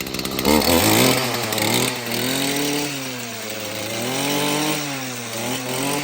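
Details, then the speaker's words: Stihl FS38 two-stroke string trimmer after a fix with the carbon cleaned from the spark arrester/muffler. The crisp, high buzz revs up and settles back smoothly, following the throttle evenly, and the engine runs healthy. "And guys, that sounds like a steal."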